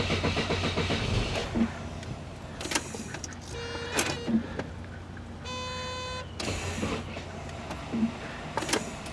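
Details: 1988 Saab 900 Turbo with a very low battery: short bursts of a whirring electric motor that strains and stops partway, dragging and sticking rather than running freely. Slow, sticking power window.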